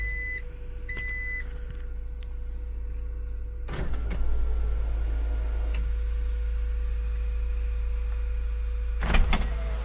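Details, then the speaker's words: Acura Integra GS-R idling just after startup, following an HID headlight install: steady idle hum broken by two single heavy clunks several seconds apart; cause unknown; ABS light also comes on intermittently. "Oh, you hear that clunk? If anybody knows about that clunk, give me a shout, because also ABS light is only intermittent."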